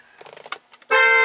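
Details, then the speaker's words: 2014 BMW M235i with aftermarket steering wheel whose horn had stopped working: light clicks then loud, steady clear horn tone about half a second; horn restored after wiring reconnected, connector likely not fully plugged in. "oh got his horn back I think that connector is just not plugged in all the way"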